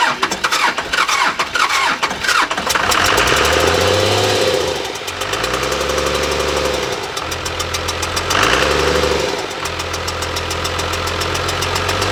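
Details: 1997 Dodge Cummins 12-valve (215 hp, manual), no coolant in it: starts well, but a fast, uneven tick from the front suggests the fan is out of balance and striking something; cause suspected, not confirmed.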